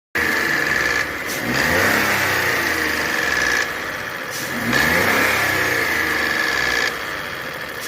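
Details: Renault Sandero/Logan 12V three-cylinder revving up and down with a steady high-pitched note and uneven tapping over it; abnormal engine noise, cause not clear.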